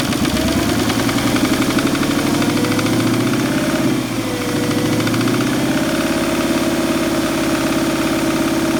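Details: Cayenne at idle: a steady idle with an uneven, rough knocking and a low droning tone over the engine note. Something is off, but the cause is unclear.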